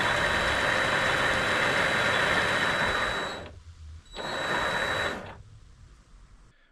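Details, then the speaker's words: Vevor MX400/210 mini lathe after greasing and tensioner pulley improvements, belts back on: steady motor whine over belt hum, smooth and even with slight rhythm at a certain speed, no knocking; stable setup, no play, normal running. "this certainly is a far more stable setup it's not rocking still after much use it it doesn't have any play there is a bit of a a rhythm to it if you get at a certain speed"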